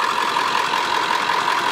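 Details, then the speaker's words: Car after a list of repairs, first drive done, idling before shutdown: steady, even mid-pitched hum with no knocking or stumbling; sounds good and drives good, normal idle. "so she sounds good she drives good I"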